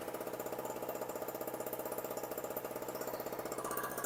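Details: Storm Cat 700W two-stroke 63cc generator after repair, run on 40:1 fuel mix (spec 50:1), a little smoky: small engine holds a steady, even buzzing beat with no hunting or dropouts, settled and running cleanly.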